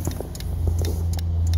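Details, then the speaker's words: Porsche 986 Boxster with ignition on: quick dry clicks repeating unevenly over a low hum while the convertible top does not move. The roof relay/controller is clicking but nothing happens. "see the relay here that's the relay there the relay is clicking all right so it's clicking but nothing's happening"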